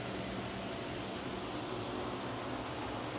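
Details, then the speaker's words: 48V 105Ah lithium golf cart battery (200A BMS) conversion, charger plugged in via the NOCO charging port, display showing 47% charging. A steady, even whir with a faint low hum and no rattle. The charger's cooling fan is running normally. "All right, I hear the fan coming on. I heard the fan coming on the charging unit."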